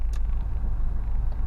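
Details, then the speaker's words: Engine running steadily with air conditioning on after tightening stretched, screeching alternator and aircon belts; cool air coming in, AC pump audible working, no belt squeal or slipping, healthy sound. "got cool air coming in lovely all good and I can hear it I can hear the pump working anyway"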